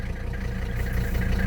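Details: 18,000-mile 1985 Mercedes 300D (W123) diesel started cold after a brief glow-plug cycle in warm weather. It settles into a steady idle with even, rapid clatter and a firm rhythm, no misses or stumbles: a healthy cold idle.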